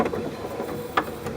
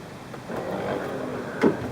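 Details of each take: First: 1994 Chevy Corvette C4 pop-up headlight motor, nearly 20 years old: whirs with loose gritty rattling and sharp slips as the worn plastic gear strips and spins, light sometimes failing to rise; gear to be replaced. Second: 1994 Corvette C4 headlight motor after replacing the worn, slipping plastic drive gear; smooth quiet whir for about a second, then one soft thunk as the lamp seats, with no grinding or motor running on; normal headlight motor operation.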